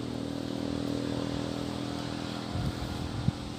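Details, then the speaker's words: MX (old model) motorcycle whose radiator fan won't turn on when hot, fan circuit jumpered for testing: constant low fan hum then two sharp relay clicks; fan spins and relay clicks, so relay and fan are both good. "kalau saya jumper disini terus kipas langsung mutar di sini ada bunyi cetak cetek artinya di dua komponen ini bagus ya relay dan kipas bagus"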